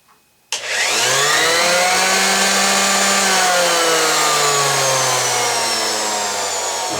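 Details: Ryobi sander whose worn plastic slider switch let it turn on by itself, after a tape-shim fix: a sharp switch-on, then a high motor whine climbs to full speed and holds an even buzz; runs normally.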